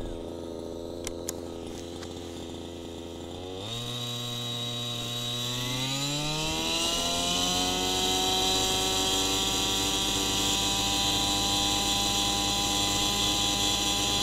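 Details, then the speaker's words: Gas RC helicopter two-stroke at idle after turning the low-speed needle about a sixteenth turn in: high buzzy idle picks up and settles higher, a subtle slightly lean low-speed mixture. "you listen to it now very subtle difference between being just right and being a little lean on the low speed screw"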